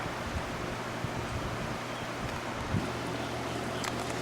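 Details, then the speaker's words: 1980s Mastercraft CTC90 circulator fan, completely seized when acquired and since revived, first start of the season on low: soft, steady rush of air over a faint low hum with no ticking or scraping, working quite well. "thing was completely seized up when i got it and it is still working quite well"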